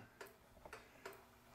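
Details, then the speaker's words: Vintage kitchen clock after cleaning and oiling. Ticks come in uneven pairs instead of a smooth, even tick-tock: out of beat, to be fixed by slightly bending the crutch rod to centre it. "can you hear that thing ticking the way it is it's not a smooth tip"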